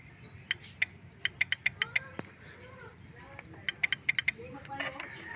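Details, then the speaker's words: Honda XRM motorcycle that suddenly won't start, suspected water exposure, starter relay cleaned, ignition on: sharp dry clicks in two quick bursts with no motor spinning; starter relay chatters but starter never turns. "Tumutunog yung relay."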